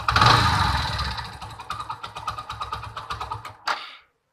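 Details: Mahindra Centuro single-cylinder motorcycle after a full timing chain kit replacement, noise returned after two days: rough idle with a light uneven ticking clatter about three beats per second before shutoff; cause unclear.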